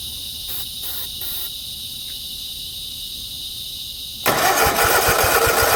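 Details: 50-inch Cub Cadet zero turn that sat a while: near quiet, then it catches and runs roughly on starter spray but won't keep running, as the battery-powered fuel shut-off solenoid gets no power.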